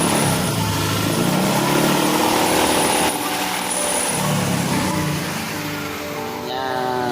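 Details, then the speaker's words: Honda Vario 125 scooter idling with a rough, breathy, pulsing snore-like growl; mechanic will check whether it comes from the CVT or the radiator cap area. "Ini teman-teman, ada motor Vario 125 yang bunyinya bisik ngorok."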